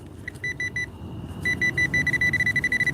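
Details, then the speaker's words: Metal detector on a night coin hunt, set to its low iron tone: a run of short, even beeps at one fixed pitch repeats steadily. Ferrous target tone; such low tones have also turned up stainless steel jewelry. "it set at a the low sound for iron. I've been digging those up because I found some stainless steel bracelets and necklaces at that setting."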